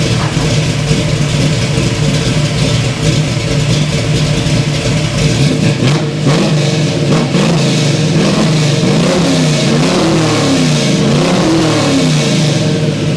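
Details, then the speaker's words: 1971 Chevy Nova V8, high-rise intake, no choke, run only a couple of minutes, idle about 900 rpm: loud rumble blipped several times, revs hesitate on the way up; stumble under throttle, owner suspects it's still cold. "Okay, so it runs-ish. It had a bit of a stumble there. But it might just be because it's still kind of cold and all that, which honestly is probably what it is."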